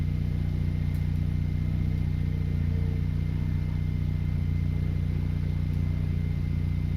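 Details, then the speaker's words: Car with stock muffler removed, open axle-back exhaust, small leak later found: deep steady booming drone with raspy low rumble; loud exhaust with muffler removed. "all right so this is how the car sounds with the open axle-back exhaust and we'll place you guys here so you can hear it"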